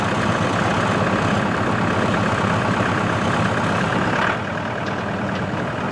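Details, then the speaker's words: CountyLine PTO post hole digger on a tractor, 12-inch auger in very hard clay, run gently to protect the shear bolt. Steady drone while boring that eases off at four seconds, no knocks or grinding. Worked flawlessly; normal operation. "alright guys this thing worked flawlessly it worked really nice the problem here is the dirt I have very hard clay"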